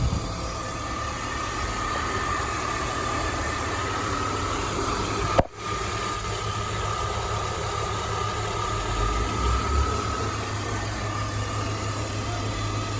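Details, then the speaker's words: 2005 BMW X5 after replacing A/C compressor clutch bearing and recharging the system, engine idling: steady even idle with smooth compressor hum, bearing growl gone; compressor sounds healthy. "no more core Stone coming from the compressor bearings and doing some smooth and nice"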